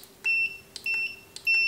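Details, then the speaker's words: Godox SK400 II studio flash with Error E3 and low power, previously serviced elsewhere, before repair, power at 1/1: faint pops each followed by short high beeps, three under two seconds. Flash fires weak; cause not yet found. "tuh kecil ya cuma segitu ya"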